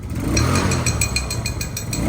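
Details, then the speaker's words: Recently bought second-hand motorcycle revved with the throttle: sharp metallic ticks about five or six times a second over the engine, a new abnormal noise that was not there earlier; cause unknown. "Oh, ano yun? May tumutunog. Puta, si Ryan. Si Ryan. Ano yung tumutunog? Utang ina naman talaga to, oh. Kanina okay, ba't may tumutunog?"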